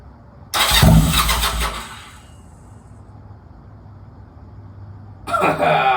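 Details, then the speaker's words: Honda Rebel 250 first start after sitting 27 years, in neutral with full choke: two bursts of fast rhythmic starter cranking, engine trying but not catching. Owner thinks fuel needs to get through the carb; it started shortly after. "All right. It wants to. I think there's needs to get some fuel around the car, but fuck, it's gonna start. It wants to."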